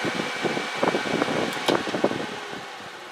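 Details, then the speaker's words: Endless Breeze fan after balancing fix with two washers as counterweight: steady airy whoosh and even hum, stable on one, slight oscillation on two, perfectly smooth on three; normal running. "so there it is on [Music] one it's pretty stable two seems to be the worst place I still have a little vibration and at two but nothing like it was and at three that all Smooths out and it's perfectly fine at three so"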